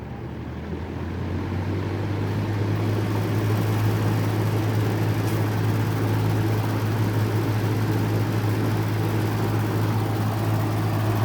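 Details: Vintage 1950s–60s FASCO 20-inch two-speed box fan on high speed: steady low hum with fast rattling buzz as the loose top housing vibrates the grille; on low it runs smooth and quiet.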